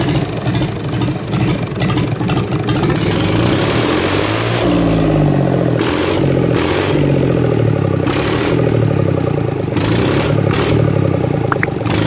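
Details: Fiat 450 tractor engine, first start after rebuild with piston and ring set fitted and timing gears set to marks: a steady low diesel clatter picks up smoothly and settles into an even run with no knocks. Normal running.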